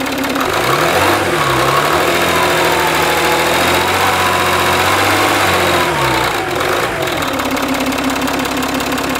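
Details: Citroën C6 diesel after fixing exhaust smoke leak near front turbo: loud, steady idle with even firing, brief rise and fall in revs, no puffing or ticking; smoke gone, runs clean, though owner not 100% sure it's solved.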